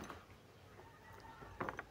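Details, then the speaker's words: Suzuki Vitara noisy AC compressor, bearing turned slowly by hand without turning the compressor: a few dry clicks as something catches. "ito lang bearing yan pagka iniikot natin yan, may lagitik,"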